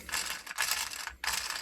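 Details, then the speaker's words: Duratrax Overdrive ST nitro RC car with a shortened HPI engine crankshaft: gears turned by hand give short ratchety clicking bursts as damaged teeth pass. Gear mesh has missing teeth but still rolls smoothly enough to work. "Look at that gear mesh. You see how smooth it rolls, even though we're missing teeth on there? That'll work."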